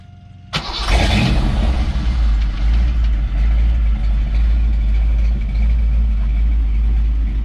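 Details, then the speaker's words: V8-swapped 1991 Ford Ranger, cold start around 85 degrees out, dual exhaust into a single muffler: one sharp crank catches at once, then deep, even, loping idle with no misses; healthy normal cold start. "so it actually sounds pretty good and mean um it's actually with the inside the cab of the truck with it running driving with the windows up it's actually really quiet inside but uh with the windows down you can hear it rumble"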